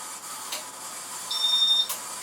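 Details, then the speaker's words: 1994 Casablanca Montclair Gallery ceiling fan at speed 6: steady airy hiss and whir with heavy rough bearing noise and strong wobble; cracked flywheel leaves blades unbalanced. "yeah there's a ton of bare noise and it wobbles a ton"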